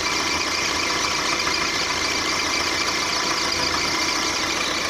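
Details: 1.4 litre petrol Mark 4 Volkswagen Golf engine at steady idle with a thin high chirping squeak; owner suspects a drive belt pulley or the water pump, exact source unknown.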